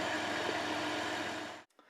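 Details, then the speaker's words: Van with a badly drained battery, jump-started after a couple of tries using a Cen-Tech 750 peak amp jump starter: quiet, even idle hum with no knocks or misses; the van is running. "So it did the trick, and yeah, it worked. Okay, so the van is running, that's a good thing."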